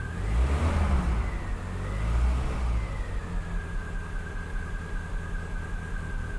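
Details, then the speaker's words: 1975 MG Midget, nearly 50 years old, just started after winter on battery tender with converted electric fuel pump: smooth even idle picking up cleanly with throttle blips, no knocks; sounds good, normal idle and revving. "give them a little bit of gas she needs a bath she definitely needs a bath but she sounds good doesn't she"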